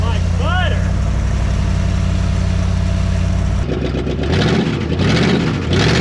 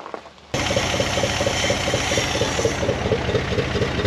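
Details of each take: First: 1974 Dodge W100 Power Wagon 4x4 V8, first start after sitting since 1983, exhaust very leaky where pinched off: even, steady idle with deep regular exhaust beat, no knocks, ticks or misses; engine sounds healthy, normal idle. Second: 1974 Dodge W100 Power Wagon V8 after 41 years parked, in gear under load with low transmission fluid and no reverse: uneven chuffing exhaust beat with light rapid tick; odd exhaust note, cause unknown.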